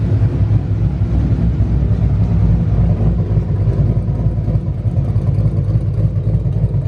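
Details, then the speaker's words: Newly installed 5.2L Coyote V8, first run: deep, steady burble, even rhythm, no clicking or tapping; earlier cranking clicking was tensioners, gone once oil pressure built; normal idle. "all right you guys that is it for today we got the car running it's all good it's ready for tomorrow"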